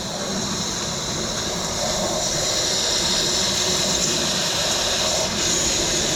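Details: Semi truck drive tires, fitting the tire equalizer hose onto the valve between the duals while tightening: a steady, high, airy hiss as a small amount of air leaks at the valve during installation while the hose is held.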